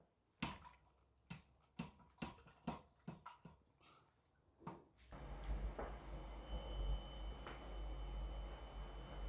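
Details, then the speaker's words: Honda CB750 rocked off its center stand: sharp, uneven clicks about three or four a second from the front end, then a low rumble; visual check found no cause. "I was rocking it off the center stand and there's a clicking in the front end here let's see if you can hear it"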